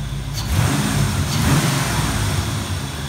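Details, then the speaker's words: 5.0 Fox Body Mustang after ECU repair with replaced capacitors: engine revs up and settles back cleanly with no stumble; previously ran poorly, now running good; normal revving. "yeah it's running good it was not that good before"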